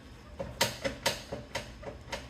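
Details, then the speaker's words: 2003 Honda Accord at about 1,049,000 miles, rear left arms with about 800,000 miles on them; the car pulled under braking. Sharp dry clicks, about three a second, as the worn rear suspension arm joint is rocked by hand, showing play. "you can see the play in it and the clicking sound. So it's really moving quite a bit."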